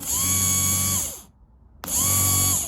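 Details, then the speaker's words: Starter motor from a torn-down 1982 Honda V45 Sabre VF750S engine, bench-powered via positive lead with casing grounded: two short bursts of high even whine spinning straight up and winding down cleanly; normal starter motor operation. "Come on. We've got a starter, guys."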